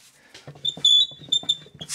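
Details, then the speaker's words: Swardman Electra 2.0 electric reel mower, roller drive disassembled: shrill chirping squeaks in short bursts as roller is turned by hand; differential with plastic gears found dry, without grease. "das ist klassisches Differential und das ist jetzt alles trocken hier das ist alles trocken warum ist das alles trocken warum ist da nicht ordentlich fett drauf"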